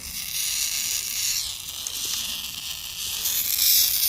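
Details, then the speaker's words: Maple sap tubing line under pump vacuum: a thin, steady, high airy hiss that grows louder up close, as air is sucked in through holes in the line; vacuum leak in the sap line. "As soon as I said that, I heard a sucking. Question is, is where do I hear it at?"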